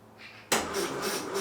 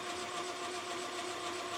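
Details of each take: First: 1968 Land Rover Series 2A 2.25 L petrol, first start attempt after about 30 years, rebuilt carburettor and fuel pump, new plugs: starter churns in slow even lumps, never fires; battery suspected, crank no start. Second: 1968 Land Rover Series 2A 2.25 L, unstarted for about 30 years, cranking with spark plugs removed: smooth, even whirring as the starter spins the engine freely with no compression load, then stops with a few clunks; normal.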